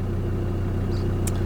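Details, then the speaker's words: Land Rover Discovery 2 diesel at idle on a long test drive: steady idle with a dull, even clatter underneath; diesel knock heard, source not pinned down. Earlier power loss blamed on blown exhaust manifold studs. "We've got a bit of diesel knock. I can hear the diesel knock. Yeah, we definitely got some diesel knock going on."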